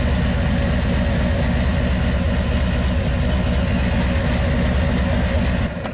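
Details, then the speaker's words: Harley Low Rider S V-twin at idle, just fitted Dark Horse Crankworks Man O War compensator, full pipes: loose marbles-in-pocket rattle under lumpy idle, earlier a whistling sound possibly when not warmed up; compensator rattle, clunks into gear. "But it sounded like it was like a whistling sound. Now it just sounds like you have like marbles in your pocket. That's what it sounds like."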